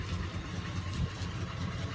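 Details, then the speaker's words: "Sweet71", now warm enough that its usually high idle has settled low: a steady, even purr with no misses or knocks. Owner says it's ready to drive. Normal warm idle. "I guess it's warm enough that she's purring this time that's incredible yeah she's purring now she's ready to go"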